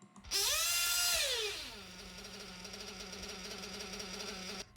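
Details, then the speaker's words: 1/8 RC car nitro engine with lean high-speed needle: sharp high rev then slowly sags and hangs at a raised idle after letting off throttle, engine starving for fuel; high-speed needle too lean. "get on the gas and then the idle stays high and it stays high because the high speed needle is too lean so that engine is starving for fuel and when when you let go of the throttle that the idle stays high"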